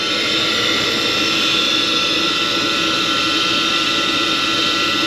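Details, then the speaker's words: Carrier furnace after primary circuit board replacement for no-heat (burnt hot surface igniter plug): steady loud rushing whoosh with hissy top end from the induced draft motor, which sounds noisy but still runs. "motor's not sounding too good thank you I don't like the way that"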